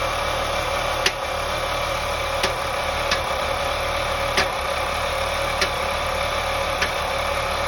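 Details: 2001 BMW 525i E39 M54 inline-six at idle: steady idle broken by occasional sharp, irregularly timed taps about a second apart; intermittent knock with misfire, owner suspects loose spark plugs, unconfirmed.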